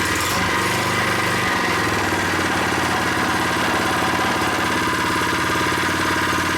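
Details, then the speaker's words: New unboxed Predator 79cc single-cylinder engine on first start with stock tank and muffler, freshly filled with 0.37 quart oil, no choke: a fast, even idle buzz while warming up, with no misses or rattles; it sounds solid. "This engine feels solid, sounds good."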